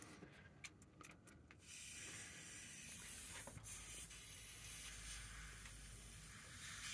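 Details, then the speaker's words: Loft-bedroom radiator on the second floor of a home heating system being bled: steady soft hiss of air escaping the bleed valve, slowing, with no water coming out yet; air trapped in the radiator. "and actually because that I can hear the air water's not com out yet but the air is actually slowing down a little bit"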